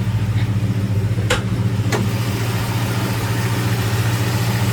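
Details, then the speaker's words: 1968 Ford Ranchero 289 V8, nearly 60 years old, dual exhaust, just after start: even, steady idle with a smooth lope, no knocks or misses; very well balanced, healthy engine. "Very well balanced engine in this car even though it's almost 60 years old."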